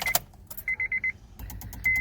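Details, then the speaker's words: 2007 Honda Civic with replacement engine won't crank: keys jingle, chime, then rapid clicking from the blue main relay under the steering wheel; cause was a missing engine-head ground, starts normally once grounded. "that clicking noise comes from this relay right here blue relay right there that's the main relay okay"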